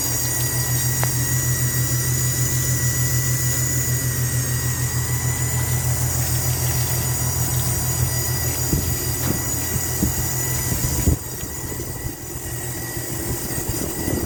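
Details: Goodman AC condenser hums steadily under a thin, constant high-pitched squeal and whistle. It stops when the coil is wetted and cooled while the fan stays dry, so the fan is ruled out; valving or compressor suspected.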